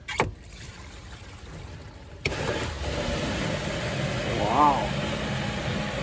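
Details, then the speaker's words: Newly replaced macerator pump on a Dutch Star RV, pumping from the gray tank. After a click comes a steady, even whirr with no grinding or rattling, far quieter than the old failed pump: night and day. "is that much better much better A lot quieter wow night and day"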